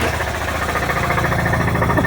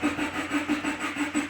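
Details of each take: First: 2004 Subaru Outback wagon with an EJ25 engine, just bought and running with smoke coming out. A harsh, busy idle with a rapid, uneven tapping knock over the engine. Badly worn internally; the cause is not yet found. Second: 2013 Subaru Impreza Limited wagon with an FB20 engine, after an oil and filter change. Cranked with the throttle floored so the injectors don't fire, priming oil at low speed. An even starter chug of about six beats a second. Normal.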